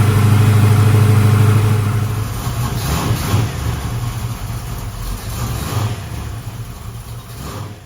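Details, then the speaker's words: Carbureted V8 with a lumpy cam: a low, lumpy, loping idle that fades as if about to quit. Timing is retarded at idle because the distributor's vacuum advance is hooked to the wrong carburetor port, so the carburetor may not be at fault. "if it has a lumpy cam in it like you say it does it probably doesn't have enough timing in it to idle right and the problem may not even be the carburetor"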